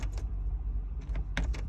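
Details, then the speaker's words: MCR machine that won't start, ignition on and key turned to start: no cranking and no starter spin, just bursts of sharp relay clicks from the rear. A flat battery needs a proper jump start. "and nothing happens. You can hear a relay clicking in the back. So step one, the first thing we need to do is try to jump start the machine."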